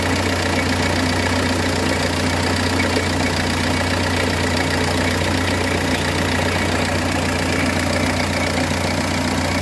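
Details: 2006 Renault Espace 1.9 dCi diesel idling with an uneven, loose knocking mixed into the clatter; crankshaft damper pulley badly damaged and coming apart in two pieces, car should not be driven.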